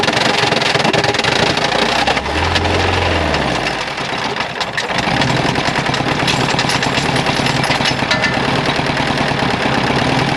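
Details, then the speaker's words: 2010 Mazda engine that arrived seized with zero oil, freed using ATF and penetrating oil with about a quart of ATF in the cylinders, running on three cylinders. Violent, uneven pounding and lumpy misfiring; connecting rod failure. "yay that was violent uh alrighty friends that was one of the most gratuitously destructive things i've done in a while the smoke you're seeing is mostly the atf"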